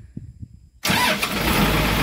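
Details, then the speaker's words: Komatsu PC200-7 excavator after starter motor repair, previously only clicking: brief crank catches at once and settles into a steady, even diesel idle; starter working normally. "[Musik] ternyata mantap teman-teman ini unit excelnya sudah running ya artinya dinamo starternya sudah beres progress perbaikannya artinya sudah beres"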